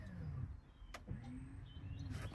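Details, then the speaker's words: 2018 Mercedes V-Class with Parking Brake Inoperative warning after modules were mixed up elsewhere, during diagnostic-tool special function: faint, short, even actuator whir, no grinding or clicking; electric parking brake motor working. "Okay, F1. I can hear the parking brake work."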